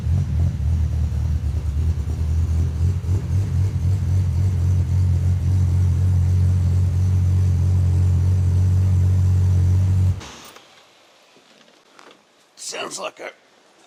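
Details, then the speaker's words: 1984 Ford Falcon XE wagon, Barra turbo engine on Haltech Elite 2500 ECU, first start after intercooler piping, fuel and wiring work: loud deep idle rumble with slightly uneven rasping edge; runs perfectly but a bit raspy. "it is a bit raspy runs perfectly"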